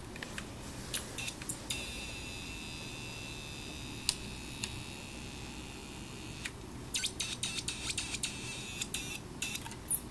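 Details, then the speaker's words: Snap Circuits Extreme Project 317 Mega Circuit with the capacitor placed in the wrong position: thin steady high-pitched whistle from the whistle chip amid handling clicks, likely caused by the miswired capacitor. "I put the capacitor in the wrong place you hear that Jesse touch it it's coming from the whistle chip"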